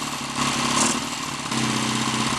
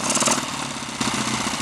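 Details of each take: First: Lightly customized Triumph T140 Bonneville twin on its first start attempt, hot-wired ignition, still pumping excess oil out of the crankcase, idle uneven but steady with a brief blip, no knocks, rattles or smoke; engine runs cleanly. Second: Lightly customized Triumph T140 Bonneville twin just started for the first time, cold, idle uneven and slightly hunting with a stumble; owner hopes it settles once warm, carburettor adjustment still to be done.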